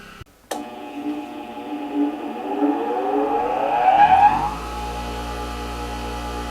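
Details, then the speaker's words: New Hando bench grinder running free at about 67 dB, quieter than speech: the motor spins up quickly and settles into a smooth, steady whir with no rubbing, rattle or wobble; healthy free running. "Nó khoảng 67 dB. Thực sự nó có cảm giác êm hơn giọng nói của tôi. Chỉ cần thế là đủ tiếng ồn để có thể trò chuyện."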